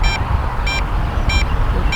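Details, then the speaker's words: MJX Bugs 8 FPV drone flown straight up high: four short, high beeps about 0.6 s apart from the controller warning of low radio signal. "So the controller will beep on low signal, so I'm going to bring it on down."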